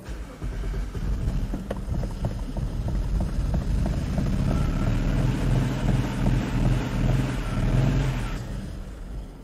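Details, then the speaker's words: 2010 BMW 535i xDrive E61 wagon, auction car, just got running: uneven, lumpy idle near stalling, running as if on four cylinders with misfire codes for cylinders 1 and 2. Rough idle. "all right sorry about the glare guys but I did get it running and it runs really rough like it's running on four cylinders because it's throwing misfire codes from cylinders one and two"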